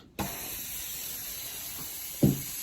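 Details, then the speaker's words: Air compressor's small pressure release valve opened; a clunk then a steady, strong, even air hiss as the valve vents. "that's actually a release pressure release release valve there but it's little small I can dump all that out really quick like just by releasing unhooking the air the air hose and it would just all out in couple of minutes"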